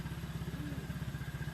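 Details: Honda Vario 125/150, PCX or ADV scooter engine just rebuilt, idle adjusted and radiator checked for over three minutes with no coolant bubbling or overflow: quick, even putter with no clatter or misses. Normal healthy idle.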